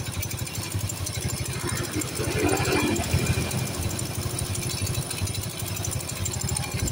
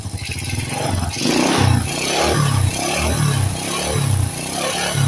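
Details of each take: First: Motorcycle that smokes white from the exhaust at uneven idle, with a faint airy spitting distinct from the carburetor sound; a compression leak is suspected, possibly from the block gasket. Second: Supra-style motorcycle with non-Honda "Turbo" engine, after no-cost fix for white exhaust smoke: repeated throttle blips rising and falling cleanly and crisply, no rattle or misfire; smoke now nearly gone, revving normal.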